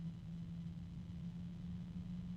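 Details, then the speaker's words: Alphacool iCyclone Aurora Lux Digital RGB 140 mm fan under review: quiet, steady low hum over soft rumble as the intermittent high-pitched whine drops back to its lower pitch; reviewer guesses harmonic resonance, source unknown. "It's already a bit noisy. There is a high-pitched noise coming from it at this point. There's a higher pitched noise now."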